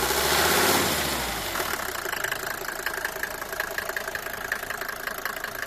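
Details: Cold Mercedes W124 250T diesel, 245,000 km, after head gasket and valve stem seal replacement: a sharp, steady tick about four per second over the cold idle after start-up; source still unknown.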